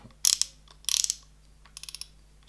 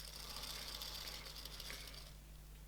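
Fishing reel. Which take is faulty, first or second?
second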